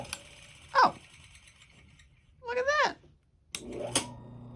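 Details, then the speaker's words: Refrigerator motor, broken centrifugal switch replaced by a potential relay, started with a refrigeration start capacitor: click, then steady low hum rises and holds even as it spins up; clean start, runs smoothly. "Oh, that sounds so good."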